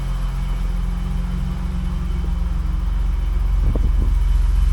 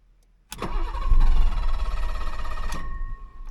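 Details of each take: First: 1985 BMW 635 CSI with intermittent no-start/running problem, first start after adding ground wires: deep, even idle in neutral with slight swell partway; sounds pretty good, ground wires seem to have helped. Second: 1985 BMW 635 CSI, hot restart after a short drive: starter whirs, engine catches, runs unevenly and nearly stalls; owner suspects cold start valve or airflow meter, also wonders about fuel pump or relay, unconfirmed.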